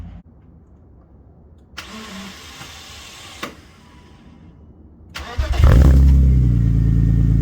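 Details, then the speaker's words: BMW E36 after new Ireland Engineering catback and M3 catless midpipe: starts and settles into a low, even, fairly muted purring idle; exhaust sounds healthy. "wow i did not expect that it's really quiet but you hear that purr"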